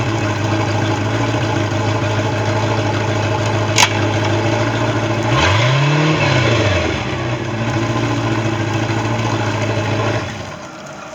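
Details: Bayliner boat engine with a bad starter holds a steady idle, then one quick throttle blip rises and falls back to a smooth idle before shutdown; it sounds healthy.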